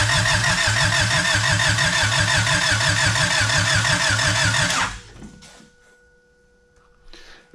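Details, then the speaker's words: Honda EG hatch with fresh piston rings and wet spark plugs. Even starter cranking at about three compression beats a second for five seconds, never catching: crank, no-start. Owner suspects the new rings need oil in the cylinders. "it's fresh ring so I might need to sit here and pour some wool and it honestly I might need to pour some oval in each one of the cylinders and sit here and try some more to crank it might just take a whil"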